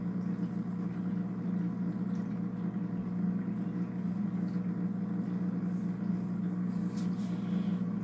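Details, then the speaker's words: Polar Aurora four-stage canister filter with UV light, newly set up on a 150-gallon aquarium: steady, low, buzzy mains-type hum while running, pretty noisy compared with a similar near-silent Aqua Top filter. "pretty noisy."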